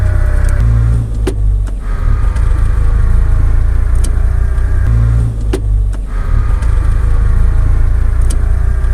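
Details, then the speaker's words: Differential with a noise when driving or accelerating: a faint whine over heavy low road rumble that shifts with speed; possibly worn differential bearings (four inside the housing: one per side, two on the pinion). "Esto puede ser por los baleros. Dentro de la calabaza existen cuatro. Uno en cada eje en dirección lateral y dos incluidos en el piñón."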